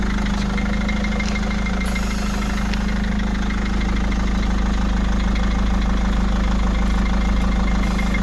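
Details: Mercedes W211, part A 220 333 04 27: steady idle with a regular knock about three per second over a low drone; worn front suspension part needs replacing.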